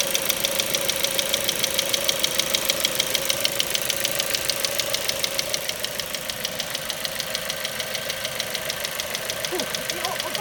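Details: Ford Mondeo 4, 2.0 Duratec HE, 89,000 km, LPG fitted at 70,000 km: a crisp, even tick about three times a second over a smooth idle. Engine knock, not valves or swirl flaps; owner suspects petrol injectors; it vanished when revved stationary to 7000 rpm.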